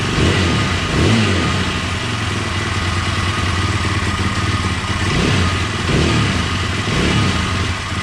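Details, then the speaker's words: KTM 620 LC4 single after a stator replacement: a big single-cylinder thump, even and swelling smoothly with each throttle blip, with no knocks or rattles. The bike is running well. "so I think we got it she's a running sounds like it's running pretty good"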